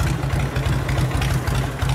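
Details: 1984 Harley-Davidson FLHX shovelhead, original paint: loping, uneven potato-potato V-twin beat at low idle, deep and steady with no knocks or rattles; healthy shovelhead idle.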